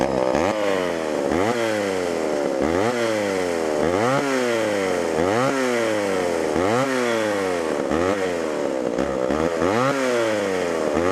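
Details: Homelite Super XL chainsaw, bought at auction: revs rise and drop about every 1.5 s, no clean idle; running lean on low-speed mixture, needs adjustment or carburetor diaphragm to soften.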